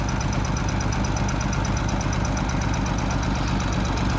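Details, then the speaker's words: Oliver 70 tractor at steady idle with a light quick tapping about three per second, heard close to the engine with no knock; rockers suspected, may need readjusting; oil changed to Mobil Delvac 1300 15-40 with no change in oil pressure. "you kind of hear that little tap I'm not sure if that sounds like upper end like it's rocker I probably should have readjust those again"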